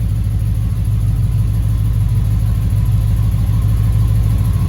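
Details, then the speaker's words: Chevrolet Impala SS with LT1 engine, idling in gear after idle air control valve replacement, on its first start in a week. The tachometer reads high and may need calibration. Steady, even rumble with no misses or surging. Normal idle in gear. "Maybe I'll try to see if I can do some calibration on this tachometer, but for now I feel like it sounds good, man. It doesn't sound crazy or nothing like that."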